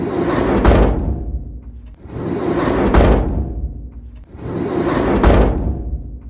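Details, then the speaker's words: Van conversion door shutting before sound deadening, single-layer metal panels: three slams, each followed by a hollow metallic ring fading over about a second; bare, undamped panels resonating. "So it's that ring at the end of the door shutting that I'm really talking about here. So I'm just going to play it a couple more times so you can really listen out for that like hum, that ring once the door shuts."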